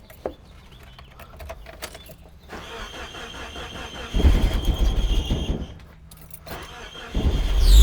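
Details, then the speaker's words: Off-road vehicle engine starting and settling with a steady high-pitched squeak that sounds like a belt but is believed to come from the clutch; clutch replacement planned, cause suspected. "yeah so that sounded like a belt squeak right turns out it isn't um i'm pretty sure it's coming from the clutch"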